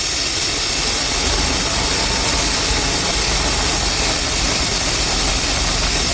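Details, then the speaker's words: Chevrolet/GMC truck, 350/305 throttle body injection, rough idle, random misfires, hesitation, backfiring, no power: loud steady hiss over uneven idle, vacuum leak found with brake cleaner; needs intake and throttle body gaskets. "So, it either needs intake gaskets or throttle binding gaskets."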